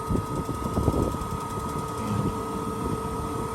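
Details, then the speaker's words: Suburban propane furnace heard outside at its exhaust, propane off, cold inside; steady fan whoosh with faint clicks and pops as it tries to ignite three times without lighting. Furnace igniter firing without flame. "it's trying to ignite. Of course, it's not going to ignite."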